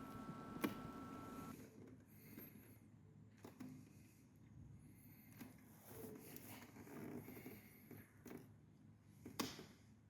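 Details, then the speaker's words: Ducati 1198, battery voltage slightly low: single sharp starter solenoid clicks every second or two, engine never turns over; rolling the bike forward or nudging it into gear sometimes helps it start. "But the problem I'm having is just that the solenoid clicks, but it doesn't seem to be able to actually turn the engine over. You can hear it clicking in the background."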